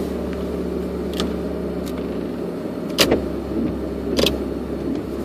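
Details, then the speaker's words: Toyota Tacoma, phone in center console while driving at low speed: sharp pops like distant gunshots, audible from parking-lot speeds to 45-50 mph (squeak is the seat). Steering rack bushings replaced without effect; ball joint recall done; source not yet found. "I have this popping noise when I'm driving it well I can hear it when I'm driving in slow speeds it uh basically it's audible at like parking lot speeds going up to about 45 50 miles an hour"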